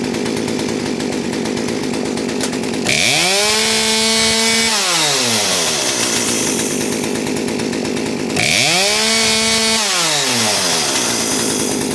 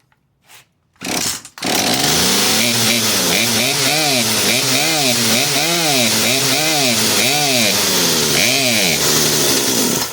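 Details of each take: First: Poulan P3816 38cc chainsaw after installing a HIPA carburetor, fuel line and primer bulb kit, choke pushed in and adjusted: clean full revs twice, climbing crisply and returning to a steady idle without bogging, then shutdown; normal running. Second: Poulan P3816 38cc 16-inch chainsaw after HIPA carburetor and fuel line kit install, choke off after starting: revs climb and sag, bogging out; fix is turning the mixture screw nearest the air filter about a quarter turn counterclockwise.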